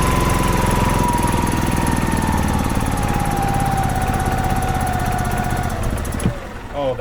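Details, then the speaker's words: 2005 Club Car Precedent gas golf cart, sitting about 5 years with only the battery removed, started with some choke (carb bowl possibly varnished; fuel pump seen filling). Single-cylinder catches and settles into a steady putter, about three or four beats a second; oil light off, so it has oil pressure. "awesome okay no choke it might need choke cuz it's I just want to see wow that RS good oil light is not on so that's good it's got oil pressure"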